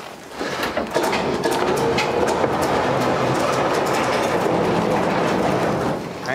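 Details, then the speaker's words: 1952 Chevy 3100 on air ride, barn find with no oil, being pulled onto a trailer with a wheel not turning: continuous rough, steady scraping grind as it drags; wheel dragging on something. "thing's just dragging bad okay just a sec we're just right up against let me see if i can push that fender in this wheel over here was turning a little bit sounds like we're dragging something"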